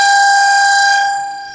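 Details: Microwave oven, described as becoming noisy with age and constant use: steady high-pitched whine holding one pitch while running, then fading off; loud whining noise, cause suspected, not confirmed.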